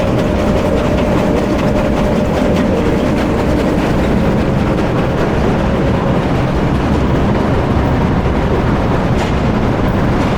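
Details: Powerscreen PT330 jaw crusher running before toggle plate replacement, jaws closed to about 70 mm, feeding a scalper: loud steady deep rumble with rattling; noisy jaws.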